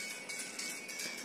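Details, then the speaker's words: Xiaomi Redmi 6A playing music: the loudspeaker sounds thin, quiet and harsh, with a gritty crackle and no bass. The buzzer/speaker is suspected and due for replacement. "Jadi suaranya HP ini problemnya yaitu masalah di suaranya bisa didengarkan seperti ini suaranya jadi suaranya itu kecil dan terasa kemresek dan pecah problemnya seperti itu"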